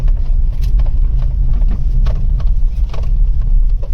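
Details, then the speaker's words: Maruti Wagon R BS6 driven on the road: irregular hollow knocks over heavy road rumble from the left front wheel; worn front lower control arm bush. "जो left side का जो wheel है ना उसमें आवाज आ रही है"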